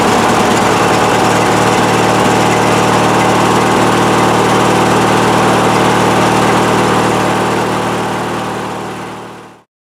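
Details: Craftsman tractor after replacing the faulty starter solenoid with one that tested good: the single-cylinder engine catches and settles into a smooth, even run before shutting down, starting and running normally.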